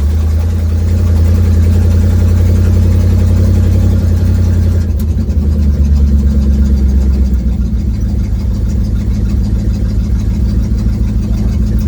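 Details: 1972 Ford Mustang driving home, phone mounted in the dash, leak not yet fixed: deep, lumpy engine drone with a rapid puffing pulse rising and falling with throttle, like a leaking exhaust joint. Exhaust puffing while driving.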